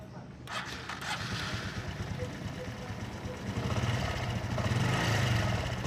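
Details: Honda Blade 125 (also Supra 125 injection) engine with heavy oil seepage: starts and settles into a harsh, rattly clatter over idle, sounding like a slack, worn cam chain; cam chain rattle.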